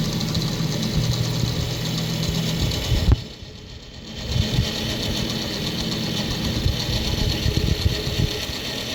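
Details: Asus STRIX GTX 970 graphics card, rear fan: rough buzzy grinding rattle over steady fan whir, cuts out then steadier spin; not fan cables touching, noise stops when fan is pressed down while spinning; fan grinding, cause not pinned down.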